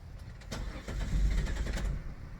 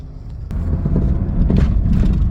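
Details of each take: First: 2000 Chrysler Sebring that quit and only ran briefly on starting fluid, relay and electrics checked good. Starter cranks the engine in a quick even rhythm for a couple of seconds but it never catches; fuel filter was clogged. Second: 2000 Chrysler Sebring after fuel pump replacement, first start and drive out of the driveway. A low even engine rumble builds as it pulls away, with no misses or stumbles; it runs okay, though RPM was briefly seen going very high.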